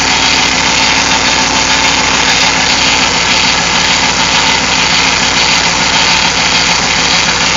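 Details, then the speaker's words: Hemi V8 just restarted after an aftermarket cam install: a steady, constant-pitch whine over a rough, busy idle. The power steering pump is moaning, low on fluid and airy after the system was drained; fixed by adding transmission fluid. "here sounds like this power Ste talk with making that noise yeah that's what it is I drained the power steering it's just whining isn't it"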